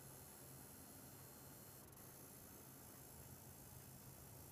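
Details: EVGA GTX 970 SSC with aftermarket Arctic Twin Turbo II cooler, running Unigine Heaven at about 90 FPS and 100% GPU usage: steady high thin coil whine and hiss over low fan hum.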